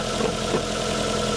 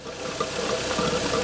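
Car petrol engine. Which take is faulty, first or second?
first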